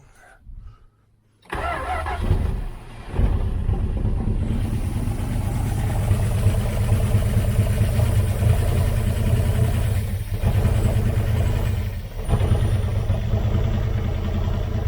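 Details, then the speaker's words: 1978 Dodge Aspen R/T, sat in a junkyard since 1987, cold: cranks, catches and runs but sags and falters, dying right away; owner thinks the carb float is not holding gas, fuel starvation stalling. "yeah she's dying right away i don't think she's holding any gas in that float full up with"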